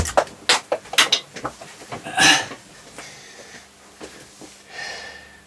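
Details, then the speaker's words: A Roksan Caspian integrated amplifier that crackles after being on a while, tested with the pre/power link disconnected, gives irregular sharp pops and crackles from the speaker with no signal; the output stage seems shorted, a capacitor is suspected, not confirmed. "that so that sounds like the output stage has gone short now that's interesting so why is it done that"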